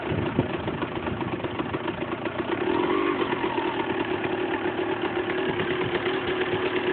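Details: Husqvarna SM 125 two-stroke idling with light blip: busy metallic rattle over the exhaust note; loose crankshaft nut.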